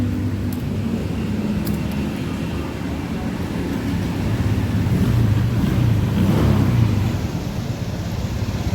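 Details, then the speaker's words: Honda Vario 125 with dead dashboard and starter, after the dirty connection fault was fixed: starts again; steady, even low putter with no stumbling; running normally. "Okay, try starting it and it works. It's okay again."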